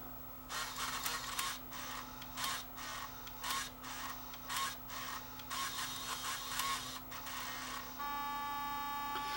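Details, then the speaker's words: Sony TCD-D3 DAT walkman: loading a tape, small motors whir in short bursts about once a second with clicks, drum motor comes on, then it settles into a steady hum and stalls until power is removed; servo motor said to be at fault, suspected mechanism problem. "think this is a mechanism problem so it unloaded the tape caps the motor turned i saw the drum motor come on and then of course it doesn't do anything until you turn off the power"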